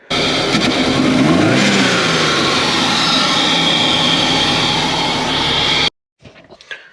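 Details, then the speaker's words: 2001 Subaru Forester SF5 turbo with Haltech ECU, converted from automatic to 6-speed manual, before reloading the base map: revs unevenly with spitting pops back through the intake under load, running poorly. Intake backfire. "if you've been watching you would have heard it not running the best like back ping a little bit through the intake"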